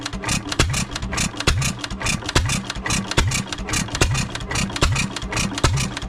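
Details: 3 hp Economy Model 3G hit-and-miss engine, possibly 1923, auction-bought, first run after priming: sharp firing bangs about once a second with coasting gaps, smoking a little, no rod knock heard though owner unsure of the rod; normal running.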